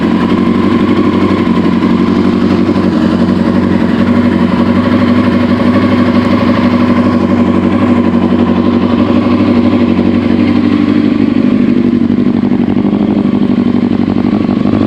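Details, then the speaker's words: 2001 Yamaha R1 after accident repair, idling steadily: a light, regular tick of about four per second. The owner suspects a valve problem coming from the valve cover area; the cause is unknown. "it sounds like I'm having a funny noise almost like a valve not right inside of there no way you can see that he sounds like he's coming from right up there and the valve cover"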